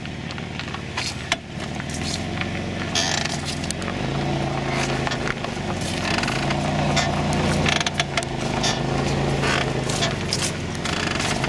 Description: scraping noise rear drum brake, 2008 Caravan